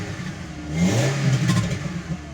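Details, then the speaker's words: MK4 VW Golf GTI 2.0 8v petrol (AQY), 92,000 miles, just started after crank sensor replaced to fix crank-no-start: smooth rise and fall of revs, deep loud exhaust note, no knocks or misfires; engine running fine. "crank center easy fix i won't run it too much it's just started up the lights work the engine sounds good"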